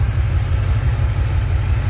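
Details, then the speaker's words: Pontiac 350 V8 in a Le Mans after 750 carburetor rebuild and cleaning, previously backfiring through the carb on revving: deep, even idle, no pops or spitting; normal idle, no backfire; plugs now clean, possibly lean. "it would you rev it and it blow through it back fire through the carburetor but uh now it that's perfect"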